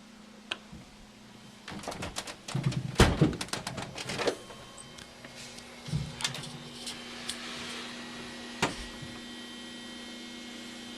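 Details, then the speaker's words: Samsung DLP TV just after light tunnel repair, near the rear lamp area: a steady faint high-pitched buzz over a low hum, after handling clunks; occurs when restarted before full shutdown and stops when the lamp turns off. "The color looks fine now, but every once in a while we get a nice little buzz, high-pitched, from what looks like the lamp area of the television."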